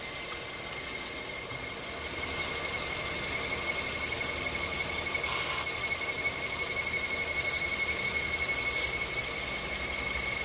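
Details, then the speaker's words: Hyundai Tucson accessory drive: steady high-pitched squeal over a quiet engine hum, present for weeks; soapy water spray does not stop it and the crank pulley is suspected; squeal from the belt drive, not confirmed. "That's the noise that it's been bugging for the past few weeks. So we'll spray water and soap on that one, see if the noise disappear."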